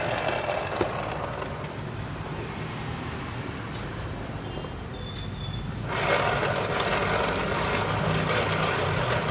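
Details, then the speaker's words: Yamaha NMAX scooter final drive (rear gearbox): a steady rough whirring drone that grows louder and coarser, caused by worn bearings. "Dan suaranya seperti ini kawan-kawan, suara lahar yang sudah mengalami kehausan seperti ini."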